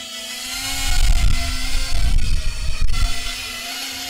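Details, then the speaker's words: FPV drone with RPM filtering tuned: steady, smooth motor hum holding one pitch with some wind rumble during hover; motors clean and even, a little warm but not hot afterward. "that sounds nice Motors are a little warm but not hot"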